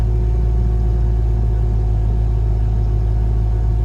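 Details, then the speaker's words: 2002 Land Rover Discovery II, 103k miles, rear air leveling suspension pump engaged with button held and doors closed; a steady low even hum without straining or pitch change; normal air suspension compressor. "Pump sounds nice and quiet, not strained or anything like that."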